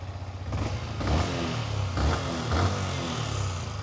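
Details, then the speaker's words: 2020 Yamaha MT125 after swapping to factory exhaust to cure persistent engine management light: crisp, even revs rising and falling cleanly with throttle, no misfire or rattle; runs fine and light stays off. "If I start it up, we have no light. Seems to run absolutely fine."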